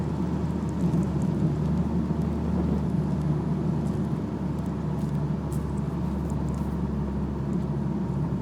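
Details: BMW E46 at cruising speed: low steady drone under road noise, attributed to a propeller (long) shaft problem; driveline hum while driving.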